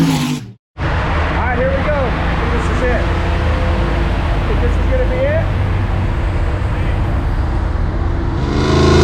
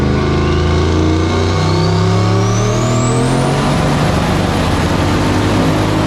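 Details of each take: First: Turbo 4.8-litre stock-bottom-end LS in a 1965 Pontiac Tempest on a chassis dyno, with a stiffer wastegate spring. A heavy, steady roar climbs cleanly in pitch under full load with no misses, making about 780 hp. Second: 1965 Pontiac Tempest with a turbo 4.8L LS on the dyno with stiffer wastegate spring, over 7: it pulls hard, then the note turns ragged near the top. Ignition is breaking up under boost; the plugs are to be pulled and checked.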